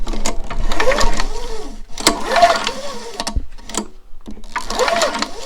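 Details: Craftsman mower showing no spark on the spark test: three quick pull-cord bursts spin the engine but it never fires; it cranks without starting, and the spark plug is suspected.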